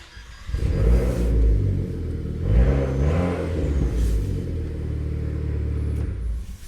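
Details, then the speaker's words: Car restarts after the GPS tracker's remote engine cut-off is deactivated in the app: catches, revs cleanly, then settles to a steady, even idle with no misses. "C'est bon, le véhicule peut à nouveau redémarrer."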